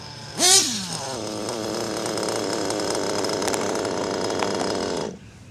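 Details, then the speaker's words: Tekno NT48.3 nitro RC with a modded RB/Nova engine, warmed up at high revs: coarse, rattly buzz over the exhaust scream; clutch bell and pinion loosening, lock-tight needed. "sounds like my clutch bells coming with almost guaranteed"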